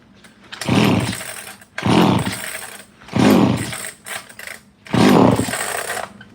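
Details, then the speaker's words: ECS-356 Japanese chainsaw found in a barn, fuel line hardened, run on starting fluid: fires and runs in short bursts, about four one-second rev-ups, dying each time; good compression. "if anybody missed it this thing did fire kind it did I promise"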